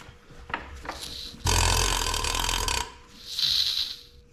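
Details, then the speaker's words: 1909 Lauson 2.5 HP engine, rebuilt igniter just installed after 5 years sitting, hand-cranked slowly: a sharp, airy hiss on each compression stroke as compression leaks around the igniter shaft into the cylinder. "I don't know if that air is leaking around the igniter or if it's leaking through the igniter through the stem that goes through the igniter but it definitely sounds like it leaking some air when it's coming up on compression"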